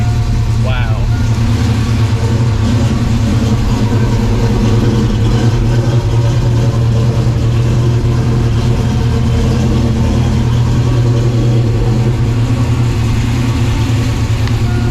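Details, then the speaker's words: 1987 Saleen Mustang 347 V8 after zero-balancing the engine and flywheel to cure a persistent imbalance, transmission and exhaust attached, deep steady rumble with no wobble or shake; now smooth and balanced. "Look at that. Oh, so much better. like it's supposed to be."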